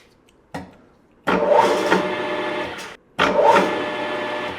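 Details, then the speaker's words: Grizzly G4003 gearhead lathe with top cover off, spun up toward 800 rpm: motor starts, hangs up briefly, then kicks into a loud steady gear whine, twice. Owner suspects the bearing pack at the motor's main pulley input, worsened by thick oil. "It kind of hung up and then kicked in. And I think that's the thickness of the oil that's exacerbating it."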